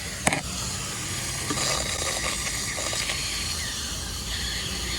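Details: Jackaroo "Jackie" just after a drive, newly fitted shocks and exhaust with muffler, coolant found bone dry: a steady thin hiss over a quiet engine bay after a sharp click, like escaping steam or pressure; source unconfirmed, overheating uncertain.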